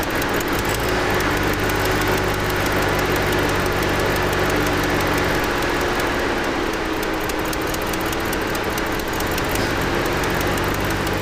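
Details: 2007 Cadillac Escalade V8 idling roughly with an uneven, lumpy beat: dead passenger-side Bank 2 misfire (cylinders 2, 4, 6, 8) from a dropped ignition coil ground circuit caused by a wiring fault.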